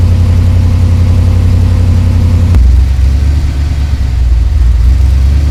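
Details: Ford Ranger rock crawler truggy with new scrap-built exhaust and new Magnaflow muffler: deep throaty rumble, quick rev, then steady burble, no misses or rattles; fires right up and runs well.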